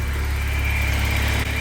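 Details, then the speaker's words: BMW E30 318is after fixing several vacuum leaks, including a large one in a purge line: steady, smooth, even engine note with a clean low rumble and no hunting or hiss, throttle response more instant; healthy running. "just like cracking the [Music] throttle it just feels a lot more instant the throttle response feels straight away like really really good"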